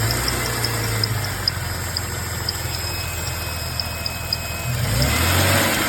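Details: 2004 Jeep Grand Cherokee WJ 4.0: steady idle with a thin, high squeak or whine coming and going over the engine, an intermittent whine of unknown cause.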